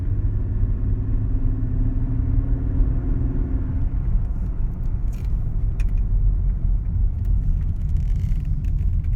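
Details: Mercedes CLK 320 V6 at idle: a deep, uneven, lumpy grumble instead of a smooth hum. It was caused by mis-gapped spark plugs and misfiring coil packs.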